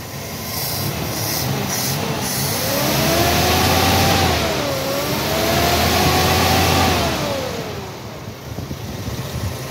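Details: Vehicle in neutral after cleaning dirty spark plugs that were causing heavy misfiring; the engine picks up smoothly, holds an even rev, drops back and climbs again cleanly with no misfire, running properly now.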